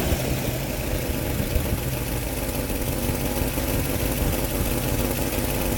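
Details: Engine idling with a brief rev: rough breathy puffing over the low drone; exhaust leak suspected at the flange or seal where the manifold meets the pipe, unconfirmed.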